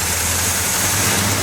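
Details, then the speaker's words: GMC truck after alternator pulley repair (pulley drilled and surface trued on a lathe, reinstalled): steady even engine run with smooth hiss, no squeal, chirp or rattle from belt drive; no more bad noises, normal running. "No more bad noises. Alright, shut it off."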